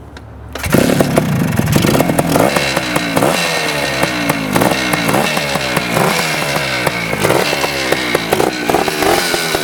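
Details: 1975 Suzuki TS250 two-stroke dirt bike, just rebuilt with new rings and harder to kick over now, piston found very clean at teardown. A crisp ringing crackle catches cleanly and blips freely with the throttle, so the engine runs healthy.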